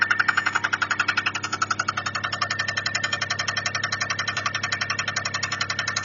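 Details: Toyota 1MZ-FE engine: sharp, even ticking knock about three to four per second over a quiet idle; owner suspects a bearing or valves, source unclear.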